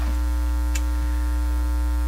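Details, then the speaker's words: National HRO-60 communications receiver, audio output into a soundboard via isolation transformer: loud steady low hum with buzzy overtone drowns the output and never changes; strong mains hum, source not yet found. "Wow, that's not good. That's not good for a start. Why are you humming so much?"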